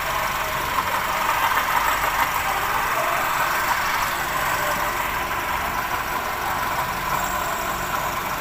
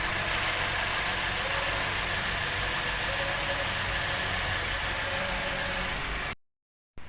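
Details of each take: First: Perodua Bezza idling: a constant gritty whirr from a worn water pump, diagnosed as the noise source before the pump was replaced. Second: Perodua Bezza after replacing the noisy water pump: a smooth, even idle with no whine or rumble, so the earlier noise is gone.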